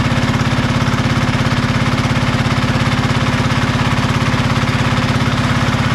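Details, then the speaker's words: Marketplace diesel generator, started after reassembly: steady even chug about 146 beats a minute, no knocks or misses; engine running well though the generator still makes no power. "oh she's running really well been not making power still so we'll have to do a bit more digging"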